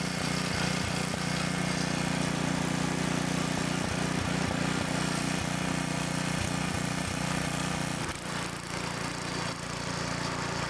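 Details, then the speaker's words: Tiller rescued after sitting about 20 years; old single-cylinder flathead restarts and runs with a steady, even putter, about three firings a second, holding speed cleanly; normal running. "hopefully it cranks back up there we go"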